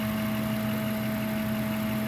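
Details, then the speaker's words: Ford F-150 V8 idling with a steady airy hum and drone and felt vibration, like air being drawn in; the idle air control valve is suspected. "eso es como cuando está agarrando aire algo así me suena interesantes vamos a checar muchachos a ver qué onda con este ruido"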